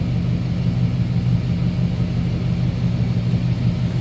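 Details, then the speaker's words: 1954 Oldsmobile 88 Holiday with a 4-barrel V8, heard from the rear at the tailpipe at idle: a soft, even low rumble with no popping or blowing. It is a quiet stock exhaust and a normal idle. "Pretty quiet, no crazy exhaust, anything over the top"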